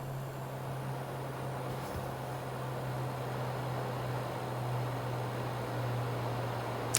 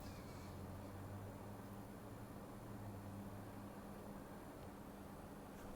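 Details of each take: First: Xbox One X Scorpio Edition, loud under graphically intense games: steady hum under a constant airy cooling-fan rush, worsening over time; owner suspects dried or misplaced GPU thermal paste. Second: Xbox One X after teardown, GPU heatsink cleaning and new thermal paste, on for 20–30 minutes: faint, steady low fan hum with no surging or seeking up and down; normal quiet cooling fan.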